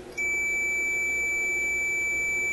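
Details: Electrohome AM clock radio, power off, meter on continuity tone across tuning capacitor plates: one unbroken high beep, reading zero ohms; tuning capacitor plates shorted.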